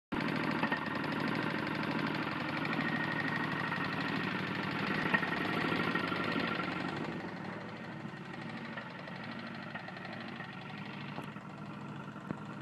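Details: Tecumseh lawn mower engine idling: dull regular knock under the putter fading as it winds down; owner says serious connecting rod problem, rod knock.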